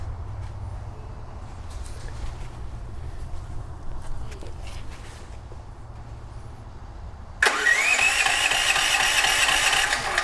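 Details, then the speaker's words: DuroMax XP13000HXT tri-fuel generator switched to gasoline, choke on, fuel valve on, auto idle off; runs on propane but not gasoline: steady rising starter whine, engine turns but never catches; crank no start. "okay so it doesn't seem like it's starting right away so what I'm going to do is I'm going to give it a little bit of help me juice"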